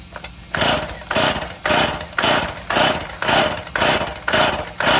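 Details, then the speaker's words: Stihl MS171 chainsaw with new ignition module, fresh shop fuel, test start outside: rope pulls about twice a second, raspy whir, never a pop or catch; no-start, later traced to fuel starvation from a blocked carburetor screen. "Okay, we're back in the shop. after an unsuccessful attempted start."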